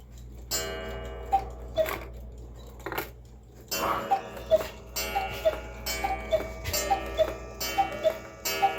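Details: Cuckoo clock rehung after bellows repair, with space left under the bellows-tube tops to stop a clicking sound: two-note cuckoo repeats, each note a soft clean puff from the bellows, no clicking; normal call.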